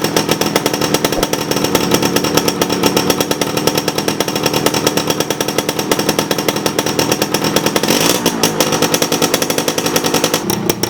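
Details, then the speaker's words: 1987 Suzuki RC 100cc Jet Cooled two-stroke motorcycle, still working well: crisp, even two-stroke buzz at a steady beat with a short throttle blip near the end. Normal, healthy running. "Oke, mungkin rasanya kurang lengkap kalau tidak mendengar suara langsung dari Suzuki RC-Z Colet tahun 1987 ini. Nanti teman-teman akan dengar suaranya seperti apa."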